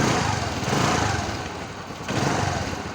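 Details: Scooter (Access) that would not start because there was no spark at the plug. After cleaning and tapping the CDI, current returns; the engine catches and settles into a quick, light, even idle with no misses.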